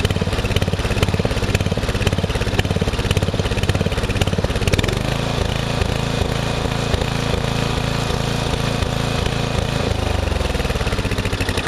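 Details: Murray riding mower, first use of the year after long storage with a mice nest cleared from the engine, owner reported surging: steady, even low putter, no stumbling or cutting out; ran normally.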